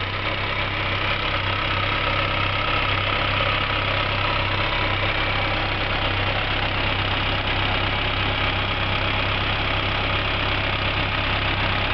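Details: Skoda 120L engine, first start after rebuild: smooth, even idle with a steady low hum and no knocks or misses; normal idle.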